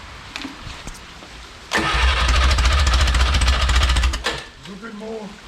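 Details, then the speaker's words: Original Renault 4CV engine (circa 1949-52, welded cracked block) reassembled after ~70 years in parts, ignition timing being adjusted by turning the distributor: fires and runs a couple of seconds with uneven, lumpy beats, then dies; sounding a little better. "time promising sounds a little better dude doesn't it yep a little more"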